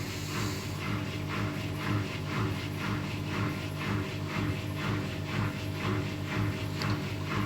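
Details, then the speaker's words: Scrap replacement washing machine on spin cycle: even spin with soft rhythmic thump about twice a second, no growl or rumble; drum bearings healthy, unlike the original machine's worn bearings. "put it on spin which is spinning fine there's no horrible noise from spinning"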